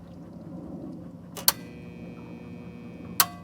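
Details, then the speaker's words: Pool pump switched on: a steady low electrical hum with no spin-up, the motor stalled. The fault is a failed capacitor on top of the pump, replaced with a 30 µF 370 V run capacitor. "can you hear that nothing it's not spinning it's just humming"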